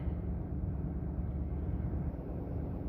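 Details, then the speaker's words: 2018 Ford F350, 6.7 Powerstroke diesel, about 209,784 miles, cold start: deep even diesel rumble, steady idle, no misses or knocks; healthy cold idle. "still at 200 and what is it 209 784.2 still fires right out this truck this has been a good truck"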